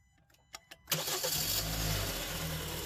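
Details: Car with an intermittent no-crank, after the shift cable was adjusted so the neutral safety switch engages in park: a few quick clicks, then the engine catches at once and settles to a smooth idle. Normal start.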